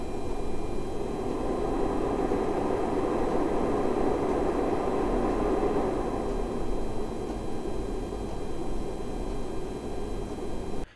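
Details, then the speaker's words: Brand-new Korad KA3005P lab power supply, stock cooling fan: rough gritty whir with uneven rattle over steady airflow, like broken bearing noises; failing fan bearing. "note that the stock fan of the Reigle is pretty bad but the stock fan of the co rad is downright broken I've never heard a brand new fan that made such broken bearing noises absolutely terrible"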